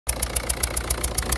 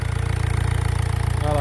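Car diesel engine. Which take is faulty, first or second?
first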